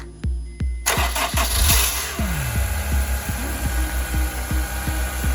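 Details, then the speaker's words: Honda S2000 CR starting after replacement of the radiator, upper and lower hoses, thermostat, VTEC solenoid and coolant, to bleed the cooling system: regular cranking clicks with an odd, uneven note before it catches. Abnormal starter sound, cause unconfirmed. "This starter makes a weird sound."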